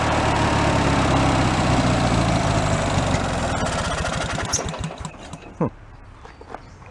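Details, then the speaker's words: Free old Craftsman hydrostatic riding mower with a single-cylinder engine, given away as non-running, restarted on its own old fuel. It runs at a steady beat, then the firing slows and it dies. Owner suspects the dirty carburetor has no idle circuit and starves below a certain rpm; it needs cleaning. "I don't think it has an idle circuit in the carburetor soon as we went down below a certain rpm it starved itself"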